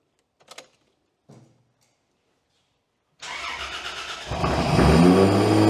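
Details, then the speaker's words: Freshly installed engine on a new ECU with only a base tune: cranks briefly, catches cleanly without popping, then holds a steady raised idle as the idle control keeps it high; startup map still untuned. "All right, so it sounds good. It sounds nice and clean. There's no popping and carrying on."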